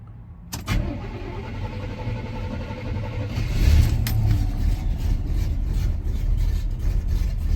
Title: 1986 c10 rough idle on cold start